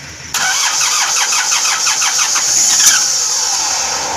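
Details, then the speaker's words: Mitsubishi Colt Diesel FE 1981 truck engine, original block replaced with new 100PS block, fuel bled of air before starting: starter cranks quickly and steadily, then the diesel catches cleanly and runs smoothly; hoses checked for water/diesel leaks. "udah mau hidup dan kita cek Apakah ada selang air yang bocor ataupun Slank dan solar yang bocor ya suaranya halus"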